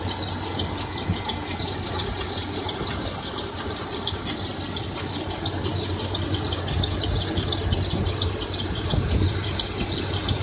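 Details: 1996 Toyota 4Runner idling with a light irregular rattle and a thin chirping squeal, starting about a week ago. It seems to come from the timing chain or water pump area; source unconfirmed.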